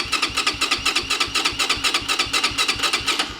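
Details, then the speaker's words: Venom X22R 250cc motorcycle, new from crate, dead battery jumped from loose battery: steady starter cranking about four pulses a second, never fires; cranks but won't start, cause unknown. "all right it's gonna need a little love before it's gonna start"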